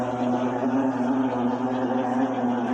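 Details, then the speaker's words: Noisy spin cycle on an LTE12 washing machine: steady loud droning hum with a wavering low tone; the drain pump is suspected of failing, but tests are not yet done to confirm it. "mas tudo indica que é a eletrobomba dela que está com problema, tá pifando. Mas vamos fazer os testes aqui, mas esse barulho tudo indica que é eletrobomba."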